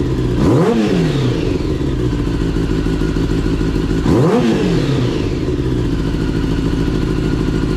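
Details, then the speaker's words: Kawasaki ZX10R motorcycle after an engine swap following catastrophic engine failure, with a used replacement engine still cold and the mic outside; the inline four catches and blips sharply twice, then drops to a steady, even idle with no knock or rattle and sounds healthy. "That joint sounds incredible. Oh my gosh. It's about time for a new motor. It sounds completely different. It didn't sound like that before."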